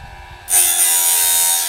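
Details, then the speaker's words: Norwood BladeMate Pro band sawmill blade sharpener after feed adjustment; a short, even high-pitched grinding burst of about a second as the wheel just nicks the tooth, correct light sharpening contact. "Just a bit. And that's really all the cutting we're looking for. Just barely nicking it."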